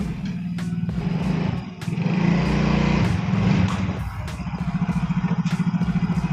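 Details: Yamaha Fino automatic scooter on a road test after a CVT service for take-off judder (gredeg): smooth rising drone with no shudder or rattle, clutch engaging cleanly. The judder was traced to the clutch shoes or secondary pulley, where dirty or oily linings or a dirty clutch bell are usual causes.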